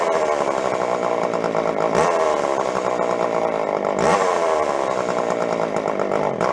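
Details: Jonsered 510 two-stroke chainsaw from a yard sale, revived after sitting and before carb adjustment. It buzzes unevenly, with revs surging and dropping every couple of seconds; it runs rough and won't hold speed, and the carb tuning is about to follow.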